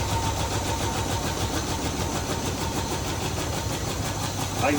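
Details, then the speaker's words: 1968 Chevy Caprice V8 after sitting about 20 years, heavy blow-by from valve covers: rough, uneven idle with a stumbling beat that never settles, still missing; engine misfire, cause unconfirmed. "I will try it one more time just just so we can look at the blow line. Still missing out. Still missing out."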